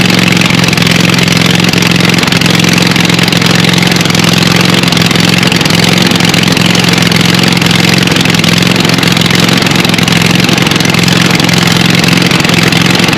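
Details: Scag Cheetah 61-inch mower with a swapped-in Craftsman 24 hp Briggs & Stratton twin replacing the Kawasaki: loud harsh raw exhaust bark at steady fast idle; running with no muffler, brutal exhaust leak; voltage regulator suspected bad.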